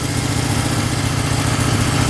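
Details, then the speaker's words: 1971 Honda CL350 twin after running 25 years unused: steady, even idle at 1500 RPM on both cylinders, no misses, after the pilot fuel screws were set from one to two turns out to cure a lean idle. "That's how it should sound. So, it's just a little bit lean. There we go. Comes right back down to idle. Yeah, that sounds really good now."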